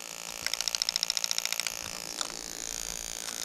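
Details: New 1996-97 LS400 1UZ-FE non-VVT-i harness with standard ECU on a 3UZ test engine, microphone close to an injector: crisp even run of about a dozen quick ticks in a second, then stops; injector clicking normally.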